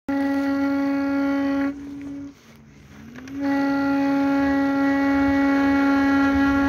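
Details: Kingsong S22 electric unicycle after all bolts were tightened: a steady low hum-tone with buzzy overtones while accelerating from low to medium speed, which fades and returns and settles above about 32 km/h; the cause of the whine is unexplained.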